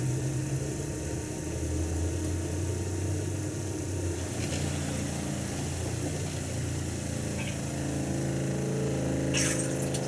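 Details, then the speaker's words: RV being winterized in NE Ohio, pumping pink antifreeze through with the kitchen cold tap open: a steady low pump drone running evenly, then the pump shuts off normally, though air likely remains on the hot water side. "So now the pump should shut off, which it did, even though I'm sure there's air in the other side, which is the hot water side."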